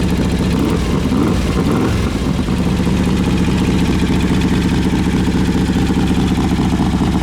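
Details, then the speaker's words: 2003 Harley-Davidson Road King with gear-drive cams, timing cover inspected after service work: steady lumpy V-twin idle with a faint, even whine on top; normal gear-drive whine, nothing wrong. "so I don't know if you caught it or not but that little wine you hear that is the Gear Drive"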